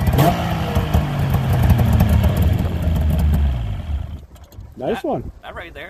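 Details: 1998 Yamaha V-Max 700 snowmobile after lowering a high idle by adjusting the idle screw, during its pre-season tune-up that solved a throttle issue: brief rev, then settles into a steady, even idle with no hunting or stumbling; normal idle.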